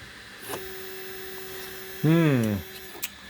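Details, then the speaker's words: Easythreed K1 3D printer after upgrading the X and Y stepper motors to cure a clicking noise, jogged from Cura at 100: a half-second whir swooping up and down as the head travels, clean with no grinding or skipping; normal stepper motion. "oh that's the x and y axis that sounded pretty good"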